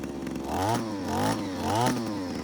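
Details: JCB petrol hedge trimmer, two-stroke, after fuel pipe repair, warmed up: steady clean buzz revving up and down in even waves, no stumble or sputter; idles nicely, little smoke, runs fine.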